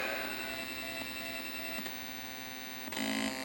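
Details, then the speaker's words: Mortal Kombat 2 arcade PCB sound board with no test tone and no game audio: only a steady electrical hum, buzzing tones and faint pops as the ROMs are checked. A digital-to-analog converter issue was suspected. "and we don't have any audio we just have the noises"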